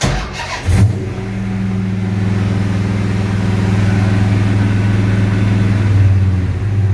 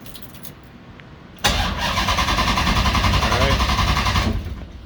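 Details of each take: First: 6.1 HEMI V8 swapped into a 1970 Coronet, restarted after an overheating/fan issue: starter catches, then steady even low burble at about 800 rpm, no misfires, battery charging at 14 volts, air-fuel ratio 13.7–13.8. Normal idle. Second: 6.1 HEMI V8 swap in a 1970 Coronet: starter turns the engine briskly and evenly for about three seconds but it never fires; ECU shows a red crank-sensor light. Crank no-start.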